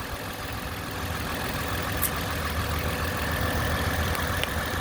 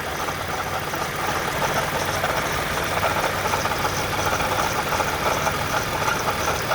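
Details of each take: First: 2010 Toyota Camry XLE after water pump replacement with original pulley kept, coolant about two lines above cold level: smooth steady idle with even low hum, no knocks, ticks or squeals; only valve noise heard, failing-pump noise gone. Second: 2010 Toyota Camry XLE after errands, warm, hint of coolant smell: steady idle with faint uneven whirring under engine note, worst it has been; failing water pump needing replacement.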